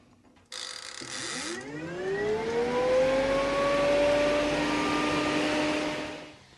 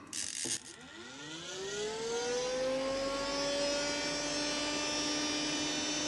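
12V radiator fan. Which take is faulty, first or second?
second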